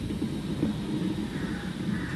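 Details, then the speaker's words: Tata Manza while driving at speed: low, steady grinding hum under road noise that the owner thought came from the engine; worn left rear wheel bearing, before replacement. "അപ്പൊ നമ്മൾ ഓടിച്ചു നോക്കിയപ്പോൾ എൻജിന്റെ ഭാഗത്ത് നിന്ന് നല്ല wheel വെയറിങ്ങിന്റെ sound ആണ്"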